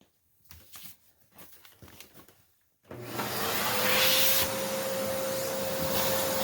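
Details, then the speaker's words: Hoover Encore U4595 vacuum motor test during refurb, outlet covered with paper towel: a few handling taps, then spins up to a steady, even whine with no rattle or grinding; bottom motor bearing unchecked but sounds generally okay. "That sounds really good. I just got some dirt there. Yeah, it's just dirt. That's kind of fun. I just gotta plug that a little bit. That sounds really nice."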